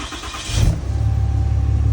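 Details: Dodge Cummins diesel started right after a FASS Titanium Signature Series fuel system install, primed by cycling the ignition on and off. Short crank, quick catch and a brief rev, then an even, steady idle: normal start.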